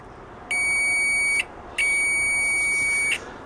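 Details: Cheap Chinese multimeter in continuity mode after fitting a louder replacement buzzer; two clear, loud high-pitched beeps with a steady tone and no crackle; normal continuity beep.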